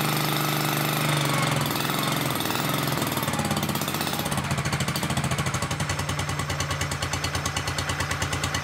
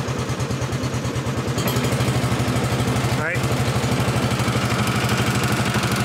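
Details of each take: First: Honda 1211 ride-on mower after its transmission fan was repaired: a steady, rapid, even engine beat with no rubbing or scraping underneath. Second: Honda 1211 ride-on lawn mower, recorded from the seat while revving: steady flap-flap about three beats a second, plastic rubbing; transmission fan fault recurring despite earlier repair.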